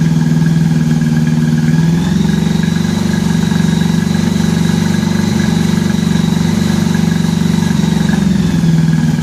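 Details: 1983 Honda Gold Wing flat-four after new head gaskets and fresh spark plugs, coolant added, warming up. Steady, even idle with a smooth low drone, no misses or knocks: normal idle.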